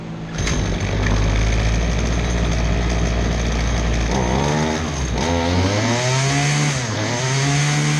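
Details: Husqvarna 223L string trimmer refired after a Zama carburetor rebuild: two-stroke buzz at a steady idle, then several clean rev-ups with pitch rising and falling smoothly. Running well.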